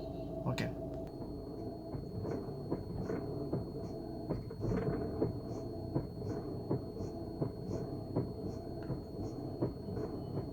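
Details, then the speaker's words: VW Vento: light sharp clicks about twice a second when pressing the clutch; cause not yet known, engine and gearbox mountings and suspension parts to be checked for play. "आप सुन सकते हैं इस noise को। जब हम clutching कर रहे हैं तो क्लिकिंग नॉइस आ रहा है।"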